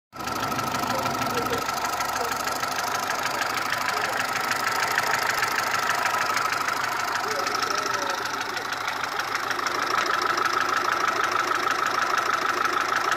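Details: Mitsubishi 1.3 engine after an overhaul: light, fairly regular tick of about two per second over a thin idle, located between cylinder head and block; cause not pinned down.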